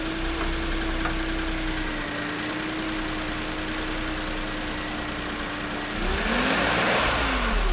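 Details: Renault Clio's rebuilt engine after it skipped timing, first start after the rebuild: it fires and settles into a steady, even idle hum, then a quick rev blip. It runs clean and smooth.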